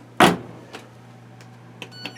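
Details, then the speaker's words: LG WM0642HW front-loader after replacing the door lock to cure a DE door error: power on, one crisp latch click and light ticks over a low steady hum as the door locks normally and the drum spins. "power on hear that door locked it's running no clicks no noise you can see it spinning"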